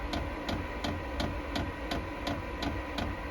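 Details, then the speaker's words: Vevor 8 kW diesel auxiliary heater starting up at about 11 °C outside, blowing cold air: crisp, evenly spaced ticks near three a second over fan rush, normal fuel pump priming that fades as it starts after several restarts. "Oui, pompe, on entend moins en moins la pompe."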